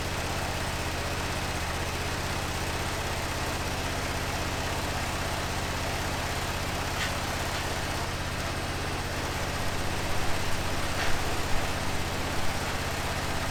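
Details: 2005 Honda TRX650 Rincon, 650cc single four-stroke, revived non-runner, cold on choke in neutral: a steady, settled single-cylinder thump with no misses or mechanical clatter. Normal idle; the carb may need slight tuning.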